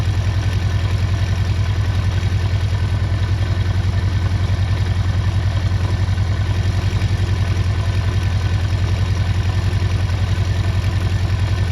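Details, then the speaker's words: 48-year-old Honda CB400 Four after carburetor balancing: a steady, even four-cylinder idle at the manual's 1200 rpm, with no misses or knocks and all cylinders pulling evenly. "See that smooth out? You can hear it, that's perfect that now."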